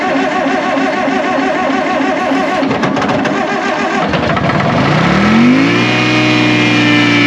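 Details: 1960 John Deere 440 backhoe, supercharged two-stroke Detroit 2-53 diesel revived after years sitting seized; 50–60 psi oil pressure. Busy two-stroke clatter, revs climbing with rising supercharger whine: normal running, strong and healthy.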